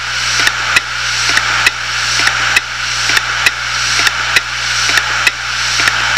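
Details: Failed 250 GB Hitachi Deskstar 7200 rpm hard drive: sharp clicks in quick pairs about once a second over a steady high whir, the click of death.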